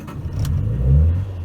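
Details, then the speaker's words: Humber Sceptre in neutral after replacing the carburettor jets and correcting an overfull float chamber: a short blip with a deep, even note rising and falling cleanly, no misfire or spitting. Sounds meatier, though the test run got a little smoky. "that sounds a bit more meaty just doesn't it"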